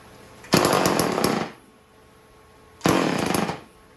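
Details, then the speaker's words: Homelite 150 automatic chainsaw run briefly: two short crisp rev bursts dropping back cleanly, no misfire or stumble; runs good. "Okay. That's the Homelite. Homelite 150 automatic. Everything runs good."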